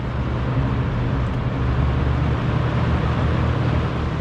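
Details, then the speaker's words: Cleaned-up blue Kmart box fan from August 1983, running: steady even low hum with smooth airflow, no rattle, tick or scrape; nice and quiet. "this fan is really nice and quiet too"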